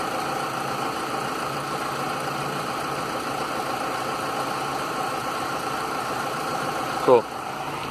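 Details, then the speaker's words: 2000s-era Mitsubishi idling after cooling fan controller replacement: AC switched off, steady even idle hum as the fan whir winds down and stops cleanly; fans cycle off correctly, fault fixed. "shut the ac off and the fans are stopping"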